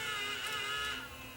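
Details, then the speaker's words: Tascam DA30mk2 DAT deck that will not accept tape: high whirring loading motor drags and fades after about a second as loading fails; owner suspects a slipping belt plus dirty switches, mechanism won't stay open. "yeah sounds like we got a slipping belt oh more than slipping belt we got um we got switches that are also bad it won't stay open"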